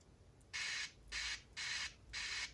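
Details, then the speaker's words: Aiwa HS-JX50/JX505 cassette walkman, electrolyte-damaged PCB tracks from capacitor or battery leakage: playback audio cuts in and out in short bursts with silence between; loose contact at a component, corrosion suspected, pressing the board corner restores sound. "we have somewhere loose contact right here okay let me try to figure it out what the hell is going on and I'll be back when I have something"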